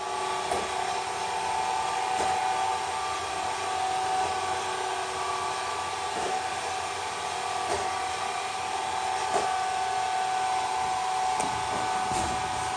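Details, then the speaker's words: Aldi Easy Home S570 robot vacuum running after teardown and cleaning of hair and filters: steady, even mid-pitched whir and smooth motor hum, earlier loud buzzing gone, no rattling; runs smoothly after repair. "Listen to that kitty purr. So now we know that this thing runs smoothly."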